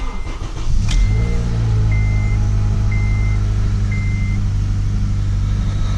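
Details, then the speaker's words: 2009 Acura TSX 2.4 after replacing the cylinder 2 ignition coil for a P0302 misfire: steady, even engine note with no skip or stumble, running like new. "that sounds like a brand new one sounds like a brand new one"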